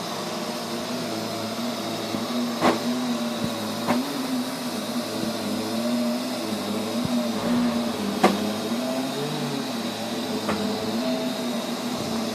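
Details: Neato robot vacuum, used fewer than 30 times, suddenly making loud noises at random intervals and lengths: steady whirring hum with occasional sharp clacks and a brief low growl; cause unknown.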